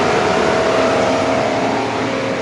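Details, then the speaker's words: 2013 Mercedes-Benz W222 S350 CDI BlueTEC: engine cooling fan roaring steadily at full speed, constant pitch with no cycling down, running whether the car is on or off and waking randomly; diagnosed with Xentry. "It's spinning at full speed. No matter car on or off, it shuts randomly wake ups."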